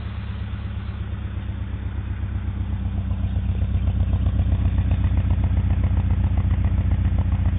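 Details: 1991 Honda Accord petrol engine idling with a deep, uneven, wavering pulse; owner suspects ignition problem or a bad tank of gas filled a day earlier, possibly both; unconfirmed rough idle.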